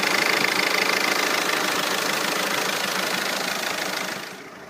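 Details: Audi PD170 TDI diesel with long-standing strong exhaust fumes, now smoking: idle with uneven clattering beat around three per second, repeatedly stumbling; rough idle, misfire, cause unconfirmed.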